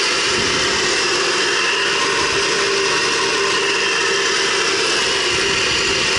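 Steady loud hiss over the idling engine with no change in pitch, the kind of rush an intake leak can make; cause not confirmed.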